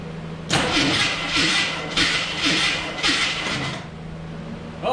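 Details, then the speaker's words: AMC Eagle ex-derby car, whose engine was previously seized, cranking on a poured-in fuel start attempt: the starter spins it in lopsided surges, some strokes louder than others. Uneven compression is suspected, not confirmed. "spins over this time that's that's good doesn't sound like it has even compression home sound too bad"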